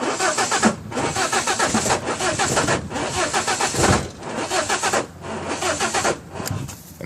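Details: 1995 BMW 318is: starter spins the engine in repeated pulsing whirs but it never catches; cranks but won't start, cause unknown.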